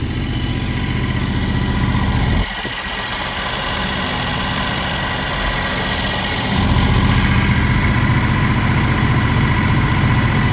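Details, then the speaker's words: John Deere X720 riding mower, likely an earlier model, with a newly installed motor: steady, even low idle thrum with a regular beat, no knocks or misses; normal idle. "So yeah, like I said, super happy, super excited to have the motor in it. It runs great."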